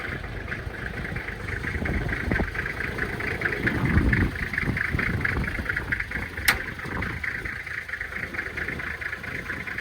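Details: 1997 Toyota Land Cruiser HZJ75 diesel, true cold start around 20-25 degrees, windy, after glow plugs: catches smoky, slightly rough clatter evening into steady idle; little smoke later, blow-by looks good; normal cold start and idle.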